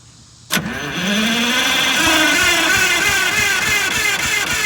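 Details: 1958 GM PD4104 bus in poor condition after long neglect, radiator fixed, cranked with starting fluid sprayed into the intake: the starter cranks steadily at about four beats a second with a whirring drone, but it never fires.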